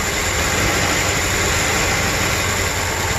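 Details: 1994 Cadillac Deville, just revived from no-crank no-start: uneven lumpy idle under loud hiss, misfire from arcing, failed spark plug wires, one rubbing on the fan; oil found in distributor cap.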